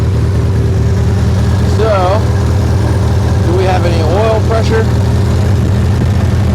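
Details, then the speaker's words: 1976 Triumph Spitfire 1500, dormant for years, carburetor never adjusted: deep, steady low idle with an even beat and no knocks or rattles; normal, healthy idle, though it still doesn't quite want to idle. "I think she sounds pretty good for being dormant for how long yeah she sounds healthy"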